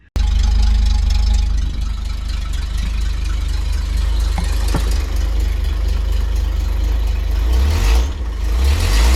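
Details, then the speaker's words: Cabover project after exhaust manifold refitted with new studs and exhaust rehung on rubber donuts: deep, even exhaust rumble with a brief rev blip, no puffing or ticking; exhaust sealed, no leaks. "I want to see what this sounds like with no blows on the exhaust because I want it to be quiet, not too quiet."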